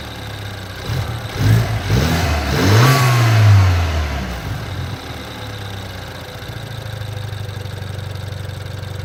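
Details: BMW 428i petrol engine revs briefly then idles with a faint, fairly regular clicking about three or four times a second; cause unknown.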